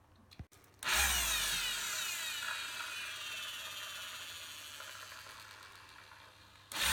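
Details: Bosch GEX 125 AC random orbital sander converted to GEX 150 AC with a new pad holder and replaced bearing: spins up at once to a smooth, even high whir that eases off, no grinding or rattle; runs normally.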